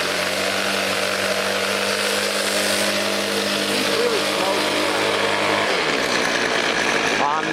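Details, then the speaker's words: Craftsman convertible 25cc two-stroke grass trimmer, true cold start, first run since carburetor work, low on possibly stale fuel; high buzzy uneven run that sags and dies out, smoking heavily; over-rich fuel mixture. "Fuel mixture is really rich and she smokes like a bitch. Yeah, she dies out because the gas is probably terrible."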